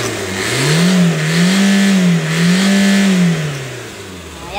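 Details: 2012 Toyota Fortuner diesel with a turbo timer, fixed after it suddenly stalled on the road and would crank but not start, revved after restart: three smooth blips, no stumble or knock; healthy.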